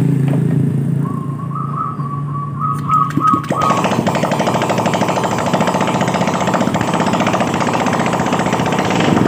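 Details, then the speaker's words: Honda Beat scooter started right after its gearbox and CVT components were reinstalled (gasket reused with sealant) to confirm stable running: a thin tone, then an even, steady idle putter; gearbox and CVT sound healthy and normal. "Baiklah untuk selanjutnya kita Nyalakan motornya untuk memastikan Stable dalam posisi normal pada"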